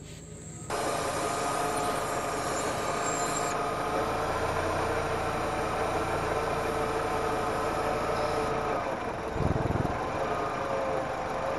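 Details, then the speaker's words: Petrol engine at steady idle after the original working PCV valve was refitted. There is no vacuum hiss, and throttle position and idle air control valve steps read normal, so the valve works. "hört kein Zischen, daher sollte das Ventil funktionieren."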